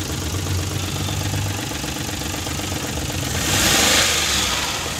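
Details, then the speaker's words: Hi-Jet three-cylinder petrol engine idling steadily in a noisy workshop after timing marks were set; the earlier misfire, missing and vibration are gone, giving a normal idle. "गाड़ी start हो गया set हो गई गाड़ी के अंदर जो missing ए रही थी वो भी देख सकता है खत्म हो गई वाइब्रेशन वगैरा"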